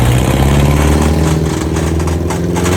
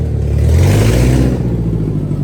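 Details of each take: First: Subaru 2.5RS abandoned about 20 years, first test drive after clutch, fork and pilot bearing work: deep rough drone cutting in and out with rubbing scrape from loose driveshaft on rear differential; couldn't select 2nd or 3rd. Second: Subaru 2.5RS abandoned ~20 years, after clutch, clutch fork, pilot bearing repair and clutch bleeding, driveshaft sorted: smooth pull through revs up to 4th gear, clean even note, no knocks; runs and drives normally, slight 2nd–3rd grind from incompletely bled clutch.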